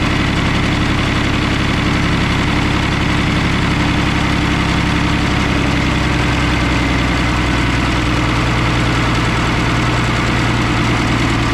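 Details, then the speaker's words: M35A2 diesel truck: idles with a rough, uneven beat, then the note sags and slows as the throttle is backed down, as if running out of fuel; stalling at idle, fuel starvation suspected, return line to be checked. "whoa why is it dying though I was just backing the throttle down right to see but it seems like once I get to a certain point just seems like it starts to run out of fuel"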